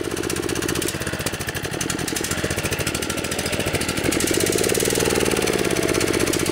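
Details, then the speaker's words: Kawasaki FC150V 6.75 hp engine on a DR TR1 walk-behind trimmer, stored too long; idles evenly but only swells briefly and sags instead of revving, running lean; runs with choke on; main jet plugged, slow circuits still working. "I think that what that's telling me is the main jet inside the carburetor is plugged. Because if it's idling, the slow speed circuits inside the carburetor are still functioning."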